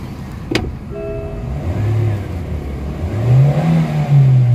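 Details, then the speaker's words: MG (Morris Garage) engine, revved to 3,500–4,500 rpm. The note climbs slowly and lazily with sluggish throttle response. Poor compression is suspected as the cause of the delay. "Kita nyo yung galit ng makina, nasa 3,500 hanggang 4,500. So delay masyado yung ano guys, pero although maganda yung makina niya, pero pangit naman yung kanyang compression."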